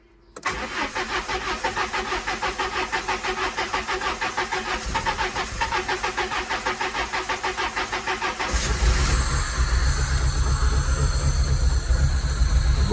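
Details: Peugeot 306 cabrio, 2000 (owner says 1998): about eight seconds of steady cranking before engine catches into lumpy idle; hard start, cause unconfirmed.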